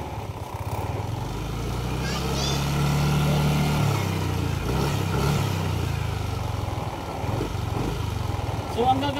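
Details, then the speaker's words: Yamaha Aerox 155 V1 scooter after CKP sensor, oil seal and spark plug repair, running over 20 minutes without shutting down: revs respond cleanly without delay or stumbling and settle back; normal revving. "Kapag ni-revolution mo maganda yung response ng motor hindi siya delay. Ayan. So wala ring hagok mga boss."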